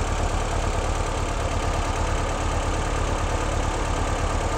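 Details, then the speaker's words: 1958 Porsche 356A T2 Normal Cabriolet with Zenith carburetors, idle after carburetor tuning and balancing: even, slightly fast idle with a steady low burble, no misses or stumbles; carbs balanced, engine healthy. "okay I think that sounds pretty good to me that's a it's a little bit quick in the aisle but I kind of like that it's going to respond better off the idle I think and we're nice and balanced"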